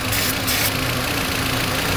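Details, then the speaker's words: 2004 VW Beetle 1.8 Turbo, cold engine idling with the cover off while cleaner is sprayed on vacuum fittings: uneven idle under a steady hiss, revs lifting briefly when spray hits the leak at the brake booster line. "what we'll be doing is spraying it every vacuum connection every fitting every little piece that you got in there cheese everything we listen for the engine rpm to go up"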